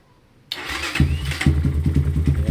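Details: EGL 250 motorcycle, all stock, after changing the carburetor jetting to size 40: starts on the first press and settles into an even, steady low idle with regular firing pulses; earlier misfire gone.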